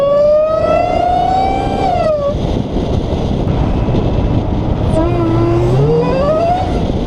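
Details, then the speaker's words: Dodge Hellcat on the road right after installing a Legmaker (LMI) intake: a clear supercharger whine climbs in pitch as the car pulls, drops when throttle lifts, then rises again. Normal supercharger whine under acceleration, likened to a freight train. "Yeah, it sounds like a freight train going like that. I mean, a freight train doesn't actually sound like that, but you know, it just keeps on going. I love that sound. That supercharger sound."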